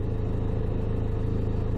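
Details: Dacia Duster engine at idle, engine shaking; low rapid rattling pulse from the PK belt side that stops when the alternator is loaded (lights on). Cause: failed alternator pulley overrunning clutch; pulley replacement fixed it.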